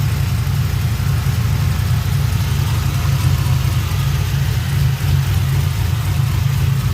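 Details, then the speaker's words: 2007 GXP with an LS4 V8 after rear head bolt thread repair, oil not milky, started on the second try, crossover and downpipe nut not yet fully fastened: steady, even idle with no knocks or misses; sounds good. "All right, it's round 2. She started. Sounds good."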